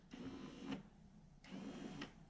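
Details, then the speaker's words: Toyota Surf/Hilux electric 4x4 transfer case engagement actuator, tested off the vehicle during a strip and service: two short, clean, even motor whirs without grinding or stalling; actuator moving freely, normal operation. "actually moving quite well but it could because you've taken it off"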